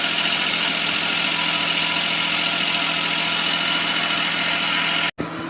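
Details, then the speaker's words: Suzuki Palette wagon whose belts squealed again a month after replacement, now at idle after both belts were adjusted: a steady, even idle with a constant hiss and no belt squeal. "Soandar na guys siya walang langitngit. So in-adjust natin yung dalawang belt."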